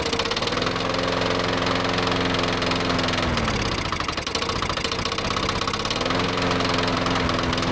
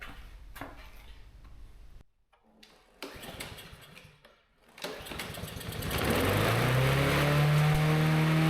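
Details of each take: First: Yard-sale push mower started on a tickle of fuel after reassembly; owner didn't like its oil and kept the run short. Runs unevenly, sagging midway then picking back up; the spark plug pulled afterwards looked a little oil fouled. Rough running. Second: Yard-sale push mower, not run in an unknown length of time, started with spark confirmed and a little gas poured in; its old oil was nasty. Cranks a couple of times, catches, then settles into a steady, even small-engine drone; runs normally.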